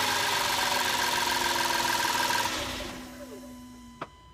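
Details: 2005 Audi A4 3.2 petrol engine running: busy sewing-machine-like ticking, then the sound dies away ending with a click; cause unknown.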